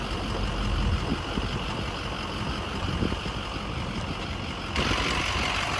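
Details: Truck at 247,030 miles, after warranty repair and a 17-mile test drive: even, steady idle with a low rumble and no knocking, ticking or misfire; some power steering whine noted on the drive; engine sounds healthy.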